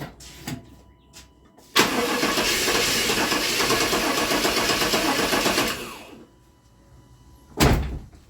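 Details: Truck with a crank-no-start complaint that is not holding fuel pressure: about four seconds of steady cranking that never catches or fires, then silence. Cranks but won't start from low fuel pressure.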